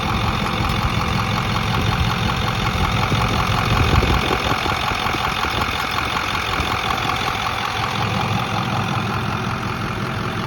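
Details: Ford F250 idling, runs fine: light metallic clicking like two spoons that comes and goes over a steady idle; source not identified.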